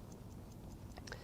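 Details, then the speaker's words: Vintage Howard Miller ship's bells clock after repair, wound five full turns, no longer stopping when jiggled: crisp even ticks about five per second with no skips or drag; normal clock ticking. "just it's running fine and I can hear it ticking away nice sound"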